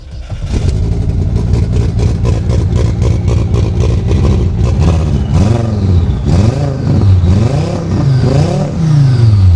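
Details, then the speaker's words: Cold start of a BMW E30 drift car swapped with an 07K engine, first run after a coolant flange and AN line repair; uneven, lumpy beat with clatter, sounds like it's on about three cylinders — misfire, a leaky injector found. "Sounds like it's on like 3 cylinders."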